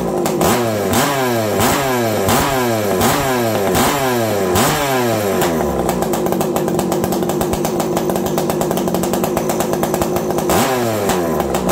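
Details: Farmertec 288 kit chainsaw with an ongoing bar oiler problem and a replaced kill switch. Crisp two-stroke revs in quick bursts, then a steady high scream, revving out cleanly. Normal running.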